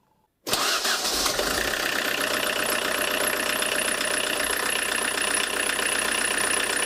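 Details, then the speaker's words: Tractor diesel with Lucas DPC injection pump, timing set 0.5 mm earlier than TDC mark: cranks, catches, settles into hard rattling clatter at idle, blackish smoke, revs/pull dropped (barely 3, vs 3.5–4 before); advanced injection timing. "Дым вроде такой черный идет, да, жесткая работа, но вот предыдущий раз, да, по ВМТ я ставил, у меня 3,5 там до 4 доходило, а сейчас смотрите, еле до 3 доходит, то есть тяга упала."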